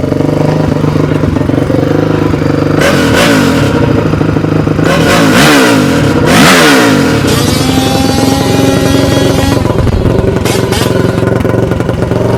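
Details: 2002 Honda CRF450R after repair, running: loud raw single-cylinder bark rising and falling crisply with throttle, returning to steady idle; super loud exhaust but healthy.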